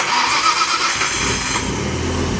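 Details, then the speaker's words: Nissan R33 GTR S1 built with NISMO, ported head with bigger valves and copper-beryllium valve seats: catches after short crank and settles into steady even idle, no knocks or misses; healthy start. "Oh, she's purring."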